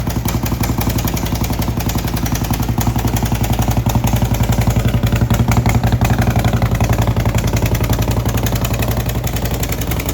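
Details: 2011 Harley-Davidson Road Glide Ultra: loud, rapid harsh mechanical clatter at about four beats a second over idle; horrible engine noise, motor taken apart to find broken parts, replaced with S&S parts.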